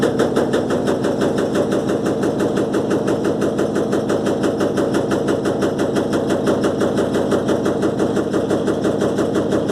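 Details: Electrolux LTE12 washing machine during a suspension test: a sustained, rapid, even rattle with a steady beat and no change in pace while the drum spins; something is shaking loose.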